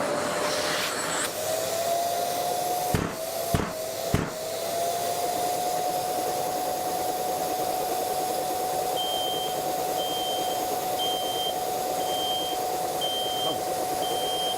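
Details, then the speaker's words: Bosch GAS 35 wet/dry vacuum: motor whine climbs as the hose opens, then a high beep repeats about once a second, the alarm sounding when airflow through the hose drops below 20 m/s; low airflow warning. "le débit d' air qui passe par le tuyau est mesuré lorsque le débit d'air qui le traverse est inférieur à 20 mètres en secondes tombe il commence à offrir je dis toujours vite"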